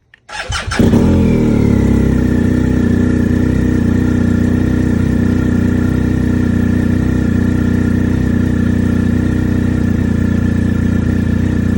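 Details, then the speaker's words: 2020 BMW R1250 GSA after software update, cold start at about 37°F with a new 220 CCA battery (stock is about 102 CCA): a short starter whirr with a brief stumble, then an even idle. The hesitation is reduced but persists. "now with the higher CCA it's not delaying as much there's not as much as a pause but it's still happening"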